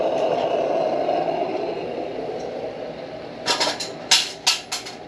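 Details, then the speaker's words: Military 252A pressure lantern, valve cracked open after the initial burn settles, at full pressure without further pumping; even soft roaring burner hiss with a few handling clicks; normal full-pressure burn. "I'll crack that valve open and she'll sing. And there she is. On full pressure. I've not pumped it anymore."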